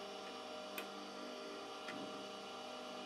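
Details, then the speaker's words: KEF Slibette drill sharpener with a 20.5 mm drill in the holder being advanced toward the stone: quiet, steady motor hum with a crisp click about every second and no grinding contact; running normally, drill not yet touching. "Now you can see it's not touching. So what I do is that I push it a little bit forward with the screw down here, like this. Still not touching."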